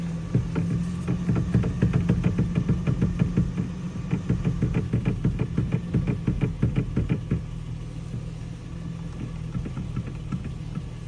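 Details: 2007 Toyota Tacoma V6: sharp clicks about three times a second from the steering wheel over a quiet idle hum, then fading.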